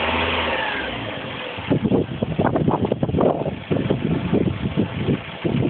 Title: piston slap - warm